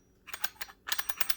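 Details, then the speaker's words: Average Joe 552/1090 fix kit handle safety test, pressing the locking-pin button and turning the dial: quick soft dull clicks in two bursts, even and unforced; normal selector dial click. "kind of the the dull click and that's fine as long as it's going through rotating just fine we're good"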